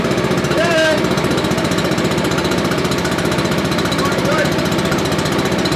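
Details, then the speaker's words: Billy Goat leaf blower, Briggs & Stratton 9.5 hp engine, cranked with starting fluid: steady chugging at about four beats a second that never fires; cranks but will not start, suspected worn carburetor, ignition or valves. "But it should have kicked. Well, we may have something wrong."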